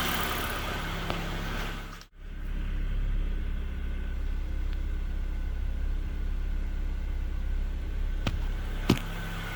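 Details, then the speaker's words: 2004 Nissan Pulsar N16 QG18DE, 120,000 km, at idle after head gasket replacement (gasket burnt between cylinders 1 and 2 caused rough idle and misfire); steady even low rumble with no stumbles, smooth idle. "Clean this up and then we'll throw it all back together. And this is how smooth it should be."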